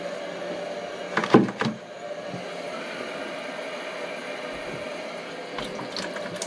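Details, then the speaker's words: Electric hot-water boiler heating system being refilled after a rebuild: a low, steady rush of water with gurgles and knocks as trapped air purges from the lines; the system has an automatic bleeder. "it goes a little bit of good chunk of it out okay and just the trailer while on I should be able to push that down and get some air out"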